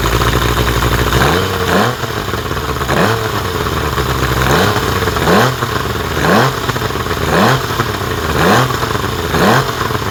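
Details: 1975 Evinrude 70 HP outboard running on muffs after a rebuild: short, even throttle blips about once a second with the pitch climbing cleanly each time. It sounds healthy.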